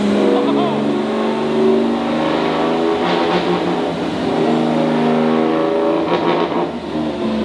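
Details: EG33-swapped Subaru WRX STI on dyno, loud: pulls hard under load then turns choppy, power cutting in and out; AFRs good, no knock; suspected TDC offsets or mechanical timing; engine breaking up under load.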